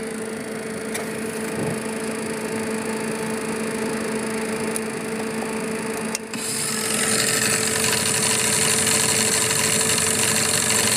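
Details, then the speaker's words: Citation Ultra cockpit preflight rotary test, stick shaker position: AOA gauge cycles to 1.0 and loud even buzzing rattle of yoke stick shaker kicks in over cockpit hum; stick shaker working normally. "all the way up to a 1.0 AOA, and we can see the yoke is shaking."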